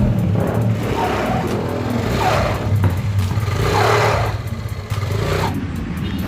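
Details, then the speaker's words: Yamaha Aerox scooter with no power and a strange CVT noise when throttled: revs swell and flare with a droning belt whirr but no pull. The CVT belt is slipping because engine oil is leaking and dripping into the CVT case. "Datang ke bengkel kita dengan keluhan tenaga tidak ada, tapi ngeluarin suara aneh di bagian CVT bila digas ya. Selip nggak maju seperti ini suaranya sahabat."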